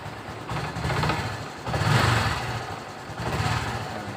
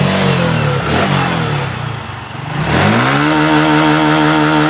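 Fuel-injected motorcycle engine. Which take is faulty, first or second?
first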